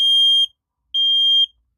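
Two loud, piercing half-second beeps about a second apart at a high, steady pitch; the smoke alarm sounds correctly on test.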